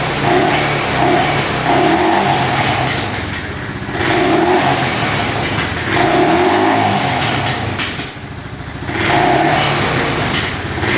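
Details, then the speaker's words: 2012 Honda Rancher 420 4x4 ATV with the air filter off: revs rise and fall with occasional sharp pops. It runs slightly lean without the filter, causing mild backfiring. "It's running a tad lean because the air filter isn't on there. That's why you hear it kind of backfiring there a little bit."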